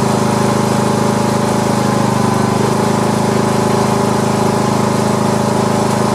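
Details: Poulan Pro lawn tractor being test-run after mower deck repair. A steady, even engine drone with a constant low hum and no knocks or misses. Running normally.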